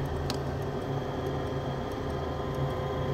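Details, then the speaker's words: 90% Carrier furnace in a crawlspace: light ticks at an uneven pace over a steady furnace hum as the condensate drain pressure switch makes intermittent contact without throwing a board fault; cause is a clogged, backed-up condensate trap. "so you can hear a pressure switch literally not properly making"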